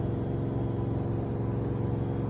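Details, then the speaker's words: LG 3 kg front-load washer reaching its set 1400 rpm spin, phone held right against the machine: steady, even low hum with no knocking or thumping, and a glass of water on top stays still; normal spin. "với cái thời lượng còn khoảng 4 phút như thế này thì Đấy tức là máy nó đang đạt đến cái vận tốc cài đặt là 1400 rồi đấy ạ Các bạn có nghe thấy tiếng ồn gì không ạ"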